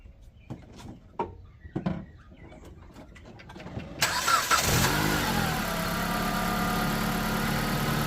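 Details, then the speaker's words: Jeep after fixing the relay problem and rewiring: brief crank, catches and settles into a steady, even idle; normal start and idle. "And it does. So, we're good to go."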